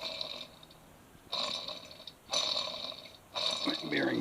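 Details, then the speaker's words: Grass kart teardown, shaft removed: three short raspy, gritty whirring bursts as a loose bearing is spun by hand; worn-out bearing, assembly needs redoing. "That bearing's buggered. That one's okay, and that one buggered as well."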